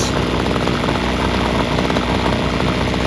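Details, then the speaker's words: Free Homelite string trimmer, two-stroke, running after only adjusting the carburetor air-fuel mixture screws and idle screw (carb not cleaned): loud, even buzz holding a steady idle without surging or dying, fast enough not to stall but below clutch engagement. "RPMs are at a speed so it doesn't stall, and it's not too fast to turn the clutch. That's all it needed."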